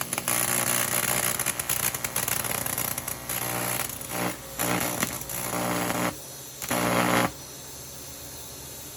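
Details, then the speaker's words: 1993 TIG/stick welder after repair of its HV arc-starting impulse transformer: harder to start, arc comes in rough crackly bursts dropping out and restarting, unstable; no overheating; better after switching transformer output polarity back on the board. "So as you saw, there were some arc stability issues. I tried it again and it worked a little bit better."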